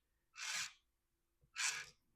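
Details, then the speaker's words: 2003 Radio Shack Brum RC car rebuilt with hobby-grade electronics: original steering motor now on an ESC makes two short harsh whirring bursts as the steering swings; steers properly but runs noisy. "Uh it does steer properly. It's a little noisy. I'm not sure how that sounds on camera, but in person"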